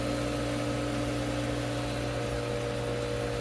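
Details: Pool pump restarted after a clog was cleared, clogging that had caused low flow and bubbles at the jets; steady even hum with a constant low drone and fixed tones, no surging or rattle. Proper flow is restored.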